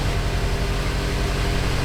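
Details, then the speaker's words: BMW M5 cold start after engine repair: steady, even deep idle with no ticking or misfire; didn't blow up so timing deemed fine, no check engine light or drivetrain malfunction. "Going through the cold start procedure right now. Hey, it didn't blow up."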